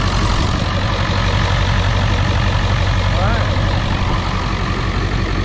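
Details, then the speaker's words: 2001 Ford F-450 7.3 diesel after IDM, wiring and injector repair for dead cylinders (codes P1316, P1271/P1274/P1275): after oil pressure builds past 500, deep steady rumble with even beat, no misses; normal idle after repair. "there we go once she builds past 500 she's gonna run and she seems to be running pretty smooth right here"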